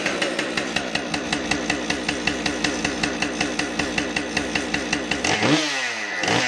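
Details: Husqvarna 550XP chainsaw after work on bar oiling problem, test run: crisp even two-stroke beat holds steady then climbs cleanly with a quick rev; normal running, strong and smooth.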